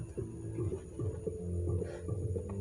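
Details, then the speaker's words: Simbadda CST Z100 active subwoofer speaker at full volume: music plays with only a faint, thin bass thump, nearly inaudible, while the treble is loud. "Ini volume mentok ya. Ini mentok volume. Nyaris tak terdengar. Aslinya keras banget."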